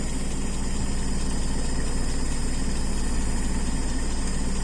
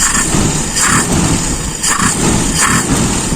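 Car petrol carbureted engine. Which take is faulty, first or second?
second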